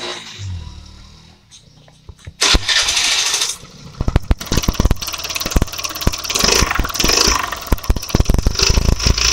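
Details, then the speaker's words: Suzuki Access 125 scooter with exactly 50,000 km, started and running: rough, uneven clatter over the engine note; crankshaft is worn and needs work. "இந்த வண்டியில் கிலோமீட்டரை பார்த்தீங்கன்னா கரெக்டாக 50,000 kilometre ஓடி இருக்குது. ஆனால் பார்த்தீங்கன்னா கிராங்க் ஷாஃப்ட் வேலையாக இருக்குது."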